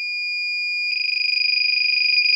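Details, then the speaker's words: Buzzer on a KK2.0 flight controller in a refitted 330-class quad with LED lights sounds constantly at power-up, even armed or with motors running: shrill steady buzz then rapid warble, a false low-voltage alarm from an unconnected battery-sense lead. "let me just turn that off because it's annoying now what's actually causing that is the low voltage alarm"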